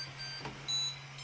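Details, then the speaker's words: Tronxy XY2 Pro 3D printer just assembled, first power-on: short high-pitched chirping startup tune over a steady low fan hum; normal power-up beeps before the menu appears. "We heard a little bit song beeping."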